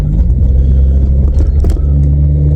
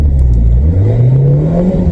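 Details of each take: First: 1997 VW Vento (Mk3 Jetta) automatic on a test drive after fluid, filter and gasket service: steady drone under load, then the pitch drops evenly. A smooth upshift into second, the smoothest yet, though it thudded into gear pulling away. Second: 1997 VW Vento (Mk3 Jetta) automatic after fluid and filter service: engine pitch keeps climbing under steady throttle with no shift; the gearbox won't take third without redlining, same as when bought. Cause not found.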